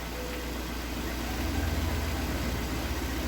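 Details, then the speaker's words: Lada Priora, 126 engine, with hydraulic lifter knock, after a second run on flushing oil before an oil and filter change: steady, even petrol idle with a low hum and no sharp ticking; lifters quiet and the engine runs well. "ну результат есть конечно двигатель работает я скажу отлично хорошо"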